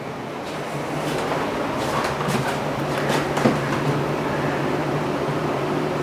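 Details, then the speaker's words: Danby 3-in-1 portable air conditioner, about 12,000 BTU with inverter compressor, on a 30 °C day: steady even hum with fan rush, 57–58 dB at the unit; normal quiet operation. "the Danby runs at an even 57 to 58 decibels at the unit"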